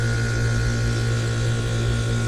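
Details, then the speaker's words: Bryant home AC condenser: a constant electrical hum and low drone as the fan motor barely turns. The compressor overheats, trips its thermal overload and will not restart. Diagnosed as the condenser fan motor running too slowly. "hopefully we're not low on refrigerant but i kind of doubt it given the fact that that fan is just trundling along like that"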